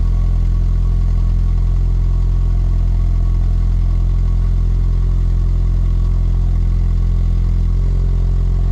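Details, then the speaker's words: MK4 VW GTI 1.8T at idle just after the resonator/muffler was welded and fitted with V-bands: a deep, even rumble with a soft low drone, quiet and sealed with no puffing or ticking; possibly a small leak near the turbo. Normal exhaust idle. "not leaking that makes me so happy we might have a little exhaust leak up near the turbo but i don't give a rip about that"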